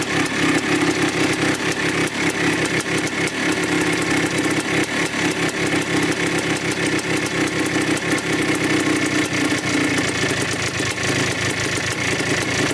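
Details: 1987 Yamaha YZ 490 two-stroke after carburettor rework for bogging, during a roughly five-minute warm-up: crisp, rapid ring-ding popping at a steady pace without bogging. The air screw is at 2¼ turns out, in spec, and it sounds healthy.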